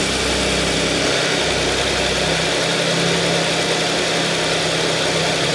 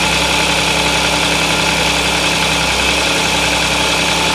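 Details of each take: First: Audi S cold-start idle after replacing broken timing chain guide (fragments found in small oil pan, oil strainer clogged and cleaned): smooth steady hum, no rattle or tapping as idle settles; the former chain noise is gone. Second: Audi S, cold start idle; two engine noises, a rattling and a croaking, coming and going, obvious cold, not heard warm; harsh metallic rattle steady with engine speed.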